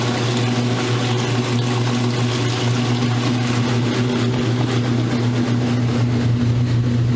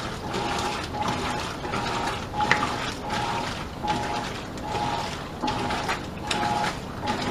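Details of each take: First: Roper washer on a normal spin cycle after earlier off-balance trouble, spinning faster and extracting water properly: steady low motor hum at constant pitch with even tumbling rush, no banging or scraping. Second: Modern Roper top-load washer agitating: rhythmic ratcheting click each stroke over swishing water, with the tub loose and moving. Agitator slipping and not driving the load; owner suspects worn agitator dogs, if it even has them.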